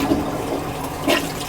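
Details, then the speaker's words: Repeatedly backing-up toilet flushed; short rush with a gurgling surge, draining sluggishly; points to a partial blockage in the drain, cause suspected, not confirmed. "a real problem where the toilet keeps backing up here."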